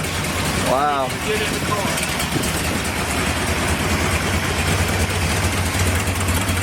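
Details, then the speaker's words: Ford 460 V8 in a Big Bronco with stock distributor, MSD box and leaking headers, first start: catches and settles straight into a steady, even idle with a deep smooth rumble; healthy first start. "that is that's smooth I was just touching the key Wow"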